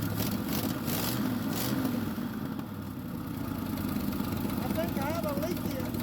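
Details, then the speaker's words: 1976 Ford F-250 with a Holley 600 vacuum-secondary carb and its choke frozen open, idling on an early start-up: an uneven, stumbling idle with raw puffing as the exhaust leaks badly near the manifold, blowing black soot. "you see all the black stuff that exhaust is blowing terribly bad over there so I'll definitely have to fix that"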